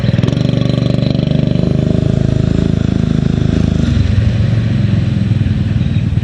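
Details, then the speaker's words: 6.5 hp Predator clone single-cylinder on a springer bike, carb rejetted with 90 main jet and original emulsion tube: even, steady low thump, smooth running, but lost wide-open-throttle zip; owner suspects the idle jet needs enlarging. "well I'll tell you it lost it runs much smoother it really does but it lost some of its zip on the wide open end with that stock in motion tube"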